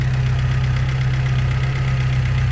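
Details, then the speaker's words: Fiat Tempra petrol engine idling after replacing a worn, too-thin alternator pulley with the old alternator's pulley: steady low rumble, belt now silent with no squeal or chirp, normal idle. "silencioso galera só alegria"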